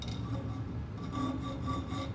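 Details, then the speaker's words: Hacksaw cutting metal clamped far from the vise: the quiet stroke rasps with a ringing, vibrating chatter, because a workpiece held far from the vise is less rigid; cutting about half an inch from the vise gives much less vibration. "the reason is the further away you are from the vice the less rigid is rigid it is in the vice and it creates a lot more vibration or chatter"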